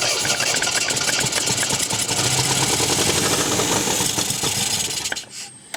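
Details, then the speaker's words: 1974 MGB GT, sat unused 29 years, running after firing order corrected to 1-3-4-2: lumpy uneven stumbling idle with hissy top end, then dies; owner suspects one cylinder down on compression, seems fuel-starved, petrol leaking. "now we did have to fire and order right one three four two it does sound like it's down a compression on a cylinder"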